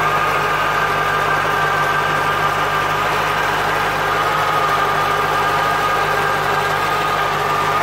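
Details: 1996 Corvette C4 with LT4 engine and ZF gearbox: engine idles evenly under a constant thin whine holding one pitch throughout, a gearbox whine.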